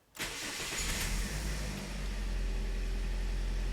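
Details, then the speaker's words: 2009 Toyota Corolla 1.8L with P0302, a flashing check engine light and loss of power, before repair. It catches into a rough, uneven idle with an irregular stumble. Misfire is felt under the hood. "i can feel a miss under the hood this engine is misfiring i don't know if you can tell by the tachometer but this engine is misfiring"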